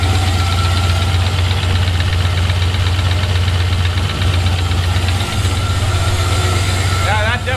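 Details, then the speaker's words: Turbo LS-swapped S-10 fresh build, idling after oil pan resealed with silicone in the truck; steady deep V8 idle with faint quick light ticking, owner notices a lifter tick he considers normal for these engines; exhaust leaking slightly at V-band clamp. "so it's not leaking it's all nice and dry down there I do notice I have a lifter tick"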